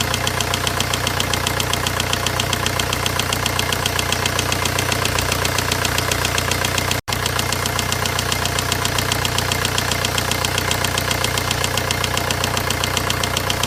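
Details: VW 1.9 engine at idle: sharp regular knock about two and a half per second hammering steadily over the engine's clatter; knocking noise, cause unclear.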